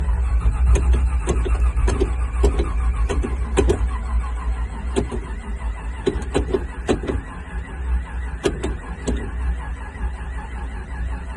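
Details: 1969 Chevy Camaro SS, cold and possibly flooded: long, slow steady cranking just under two beats a second for over ten seconds without catching; hard cold start, lack of fuel suspected.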